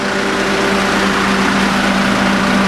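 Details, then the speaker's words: 1995 Mazda Bongo Friendee diesel after cylinder head installation, running half an hour straight with the cooling system bled. Smooth, even warm idle with the front fan whooshing; the expansion tank is slightly overflowing, considered typical. Sounds healthy. "that's all sounding good uh expansion tank is just uh a little bit overflowing uh which is typical"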